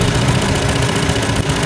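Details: Hyundai Elantra (no-crank no-start job, computer box fault) with uneven, stumbling idle and irregular low thumps; a leaking ignition coil lets spark track to the side instead of the plug, causing misfire; two coils to be replaced.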